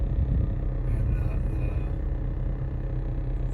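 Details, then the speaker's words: 2015 Nissan Versa Note SV dash A/C blower on setting two: steady heavy hum with dash vibrating, louder at higher settings; blower sounds like it is rubbing, likely from debris or mouse nest in housing, fixed by cleaning out. "Put it on two. It's making like a humming noise"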